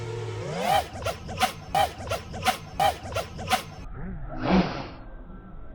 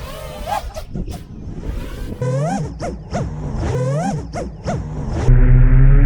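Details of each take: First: Betaflight 4.3 quad flown line of sight with no I term, doing flips and rolls: motors surge in bursts with a double woof at each move's end; P/D overshoot causing propwash oscillation. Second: Betaflight 4.3 quad, no I term, flown line of sight after P/D balance adjustment: each flip gives a single clean motor rev, no double rev; overshoot gone, normal.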